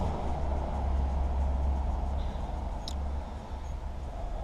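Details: Suzuki GSX-R1000 K5/K6 inline-four after camchain tensioner fix, tensioner just reinstalled: steady, deep idle rumble with no rattle or ticking; may click a bit more at first; normal idle.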